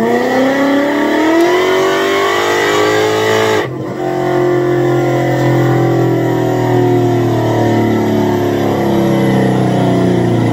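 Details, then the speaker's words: Supercharged Coyote V8 Ford Fairmont on dyno, about 900 rear-wheel hp, new Magnafuel 750 pump on boost-referenced return fuel system: strong note climbing steadily, brief dip near four seconds, then climbing cleanly without stumbling; plenty of fuel, normal WOT pull. "so this was nice this was nice to verify fuel pressure it's getting plenty of fuel the car is ready for Texas 2 K"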